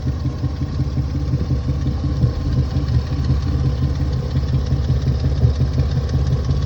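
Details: Engine idling rough with a low stumbling beat about three pulses a second, suspected misfire; spark plugs to be changed, cooling fan not kicking on and temperature gauge never reaches the middle.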